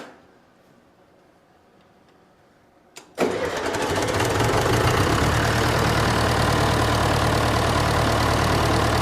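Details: John Deere 401C diesel, after quiet cranking and a fuel leak, settles into a lumpy uneven idle; temperature gauge shows cylinder three cold while four and the others are hot, pointing to an injector problem.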